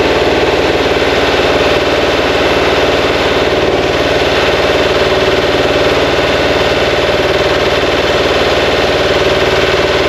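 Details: Fresh 2180cc VW air-cooled flat-four (92 mm thick-wall AA pistons, big crank, CB heads) for a 1968 single cab during first-start break-in and timing setting; steady, even fast-idle clatter with no misses or knocks, a healthy new engine.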